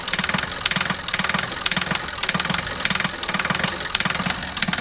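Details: Car diesel engine whose noise grew after a fuel additive and which failed to start next morning, idling: sharp regular metallic knocking over the idle, louder than normal clatter; points to faulty injectors and high-pressure pump.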